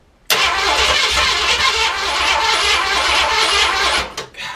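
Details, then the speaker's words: Project car with newly installed distributor and plug wires, ignition now connected: starter churns hard with ragged, uneven catches for four seconds, never running; cranks but won't start. "it's so close man I heard it it wanted to it wanted to let's just give it a little more gas"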